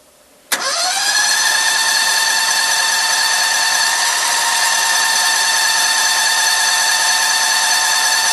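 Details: Cushman with Predator 670cc after new coils, NGK plugs and a Briggs 24hp clone carb, cold, a little choke after a week sitting: one quick crank, then a steady even idle with no misses; good run, idle jet needs slight work.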